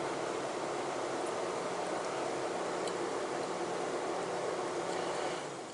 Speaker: Real quick and easy one, cooling fan. Let's see if it'll control the cooling fan. And I'm going to hit 90%, and we'll see if we can hear it.